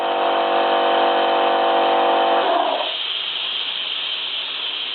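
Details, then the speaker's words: Mateus two-piston air compressor that only pumped to 4 atm, after fitting a new relief valve: motor hum cuts out, then a steady hiss of air keeps bleeding back from the receiver; faulty check valve not holding, replacement check valve planned. "Так, продолжает стравливать воздух с ресивера. Почему-то. Странно. Должен держать."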